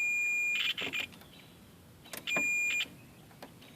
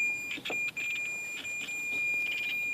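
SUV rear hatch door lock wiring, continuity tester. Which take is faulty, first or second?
first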